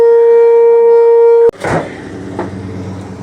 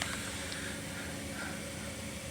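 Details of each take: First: Gas water heater makes a loud steady mid-pitched buzz for about a second and a half, then cuts off abruptly, with attached pipes vibrating; a gas leak was found in the unit; loud buzzing with vibrating pipes. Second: Gas water heater after fixing a buzzing noise and a gas leak: quiet, steady burner rush with a low even hum and no buzzing or flutter; burner jets running properly.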